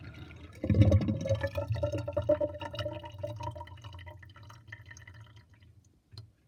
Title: Interesting kitchen sinkdrain with drainbasket and loud gurgling sound